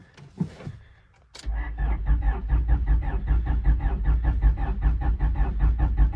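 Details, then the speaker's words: 25-year-old wrecked Honda, long unstarted, possibly weak battery: starter cranks evenly but engine never fires; owner suspects moisture in distributor cap, fuel pump not heard; crank no start. "I don't know the last time this thing's been started, so very well could have moisture in the cap and it's just not firing."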